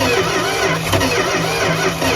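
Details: 1971 Plymouth Fury, 360 LA V8, abandoned 20+ years with a seized carburetor, spark confirmed, timing not verified: steady churning turnover with no firing; cranks but won't start; owner suspects plugs wet with Marvel Mystery Oil or valves hanging open.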